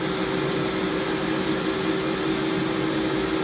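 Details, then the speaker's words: Warco WM250V three-phase variable-speed lathe at about 700 rpm, no leadscrew gears engaged: even, steady hum with a clean tone and no knocks or grinding; running smoothly. "this one is with those gears engaged driving the feed screw down here try some higher RPM that sounds really sweet really nice"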